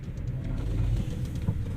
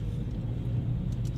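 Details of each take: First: Geely Emgrand GS at 80,677 km, driven over a rough road: deep road rumble with irregular sharp knocks from the whole chassis. Shock absorbers are suspected; the right front stabilizer link ball joint was found loose, but it is not the main cause. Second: Geely Emgrand GS at 80,677 km, after retightening the left front lower control arm bolt and replacing the front stabilizer links: only a steady low road rumble while driving, no clunks or knocks; chassis suspension now quiet.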